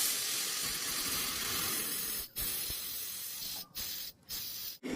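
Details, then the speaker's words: Aqua two-door refrigerator with replacement compressor: evaporator flushed, held under 100 psi on the gauge; steady high hiss broken by short pauses as lots of trapped oil, blamed for poor cooling, blows out. "Coba diperhatikan itu banyak sekali oli yang keluar. Nah, oli inilah yang menghambat proses pendinginan pada kulkas tersebut."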